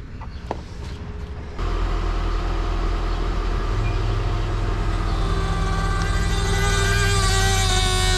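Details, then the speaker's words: 2005 PT Cruiser convertible power top pump with empty hydraulic reservoir; deep steady groan slowly climbing as the motor labours and struggles to move the top up or down; strain from low fluid, refill planned, no visible leak. "that's what it sounds like i mean you can tell the pump is the motor is working but it's just really kind of growing and it's really struggling to move up or down"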